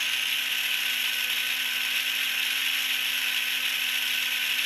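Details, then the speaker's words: Tamiya Mini 4WD MA chassis, transmission freshly oiled and gears being broken in, held up to the mic: steady high-pitched buzz with a faint fixed tone underneath, no clicks or catches; gears mesh smoothly. "I don't know if you can hear that, but that is pretty smooth. Here I'm holding up to my mic."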